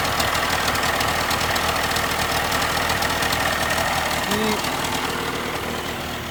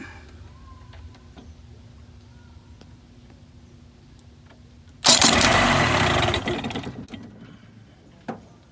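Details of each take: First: 1987/88 Mercury 35 hp two-stroke outboard after new starter and solenoid replacing one that needed several key turns: quick, even idle with steady popping, no misses or stalls; starts and runs fine. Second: 1980s Mercury 35 hp two-stroke outboard with a new starter that would not crank by key even after charging: jumping the terminals gives a spark snap, then a strong two-second whir; starter works, solenoid or a bad connection suspected.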